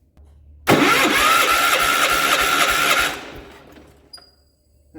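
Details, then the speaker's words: 1967 Gravely 430 tractor with an empty gas tank, run on ether: it catches with a sharp burst, runs rough and popping for about two seconds, then stalls. Owner suspects the ether ran out; the next try will be with gas. "Must have run out of ether. Next time, let's try it with gas."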